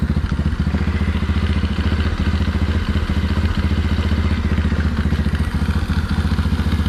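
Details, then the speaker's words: Small engine with carb on 607 lb tractor: lumpy uneven low thumping idle about three to four beats a second with loose clatter; best idle with mixture screw fully in, idle circuit too rich. "so it's got its best idol with the mixture screw all the way in means i'm too rich"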